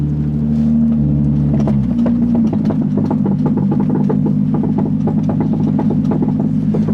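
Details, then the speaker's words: Nissan 350Z banging and knocking under braking over the engine drone, still present after new ball joints. The cause is cracked, squashed rear lower control arm (reaction arm) bushings, and replacing them fixed it. "what had what was happening was when i was hitting the brake you'd hear a big banging noise so unfortunately it's still doing it"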